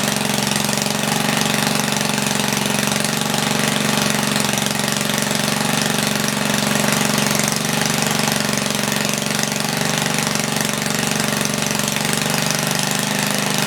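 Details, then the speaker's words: 1976 Tilly rototiller, 3 hp Briggs & Stratton, points cleaned, main jet leaned, set to 3400 rpm with no load. Steady, fast, loud buzzing, slightly fluttery but even with no misses. Normal running. "it's a little fluttery but uh it's also not under load it runs pretty good i'm happy with that"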